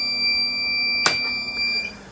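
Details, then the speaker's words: Model T6633 Brown's Gas Generator, 120V unit with skin removed and no electrolyte: on power-up a steady high-pitched alarm sounds then cuts off after a click, the low-water sensor detecting no electrolyte; low-electrolyte alarm, normal behaviour. "So when I turn it on, the alarm will sound because I have a low water sensor that's on the system, and it will detect that there's no electrolyte."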